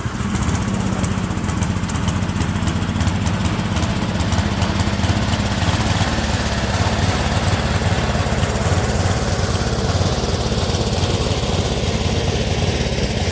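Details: Speedex model 1630 garden tractor single-cylinder engine with new carburetor, reused old head gasket, running and moving first time in years: loping, irregular chug about three to four beats a second; running rough, cause unconfirmed.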